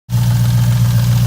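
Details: 2002 Jeep Grand Cherokee 4.7L HO V8 idling with timing chain slack: heavy steady deep knock at engine speed; oil pan removal found a shot rear main bearing and loose crank rod bearings.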